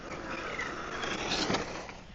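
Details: Traction Hobby King Motor Citroen C3 WRC 1/7-scale electric RC rally car on the street. The whirring electric drive is otherwise quiet, with short, high squeaky chirps over the road noise; the chirp's source is unclear.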